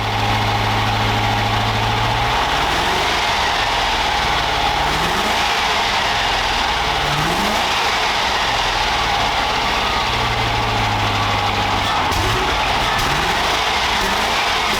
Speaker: okay there we have some revs from this amazing 3.9 V8 Range Rover Classic